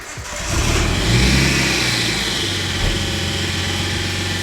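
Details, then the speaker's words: Nissan Skyline R34 first start after swap to 350Z CD009 6-speed manual, temporary exhaust fix: engine settles to fast idle with rough, rapid rattle; tight aftermarket intercooler piping hitting the fan, fixed with zip ties. "yeah that doesn't sound right [Music] turns out the mad jdm tight intercooler piping that came with this car was hitting the fan so naturally zip ties came to the rescue"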